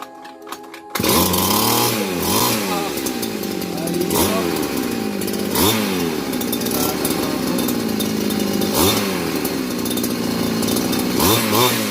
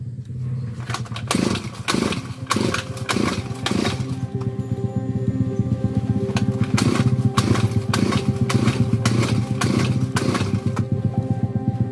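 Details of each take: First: Grass cutter (small two-stroke, gasoline) that would not start despite fuel and spark; after the carburetor was primed with gasoline and the unit taken apart, it now starts and revs cleanly in repeated swells, running normally. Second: Grass cutter, has fuel and spark, dirty carburetor cleaned and primed with gasoline: repeated pull-start bursts about once a second, coughs and briefly catches but never settles; hard starting, fuel not flowing suspected.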